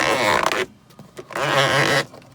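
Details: 1992 Mercedes-Benz W124 300E: the interior sun visor gives loud, drawn-out creaky squeaks at its pivot shaft when swung up or down; lubricating the shaft only cured it for a few days before the squeak returned.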